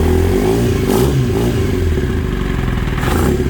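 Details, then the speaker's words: Kawasaki ZX9R four-cylinder, sat 10+ years, first start on 2-cycle gas poured in, fuel shut off, running the float bowls dry; lumpy, shaky uneven idle with clatter and vibration felt in the handlebar; rough running, cause unknown. "It just doesn't sound right."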